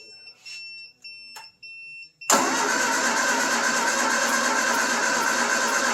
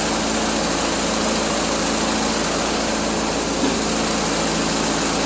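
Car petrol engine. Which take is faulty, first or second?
first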